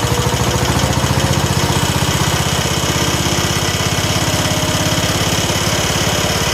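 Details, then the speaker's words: 1969 John Deere 140 H1 running on a new carburetor after long cranking before it would run. Steady, even firing pulses at a constant idle with no knocks or misses; the engine now runs quiet and smooth. "but it does run now the next video you see the video clip will be it's running and it runs well runs quiet and smooth"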